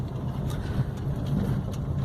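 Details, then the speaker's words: GM Onix automatic after misfire repair, road test at very low speed on a slight climb with light throttle: low, even engine hum, no stumbles or skips, downshift without jerk; running smoothly. "sem pisar vamos ver reduziu sem falha sem nada sente o motor trabalhar suave"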